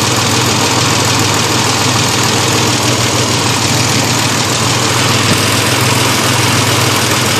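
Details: 1991 Ford Explorer at idle with a light quick even tick riding over the engine note; suspected lifter tick. Cause suspected, not confirmed.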